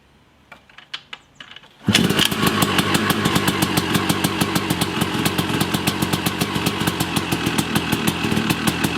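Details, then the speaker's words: Yamaha YZ250 two-stroke after rebuild, first start after finding an electrical culprit: a few kicks, then it catches into rapid crisp popping held steady on choke while warming up; healthy running. "I can't believe it started. You know, I might run it for a couple of minutes just to get it warmed up here."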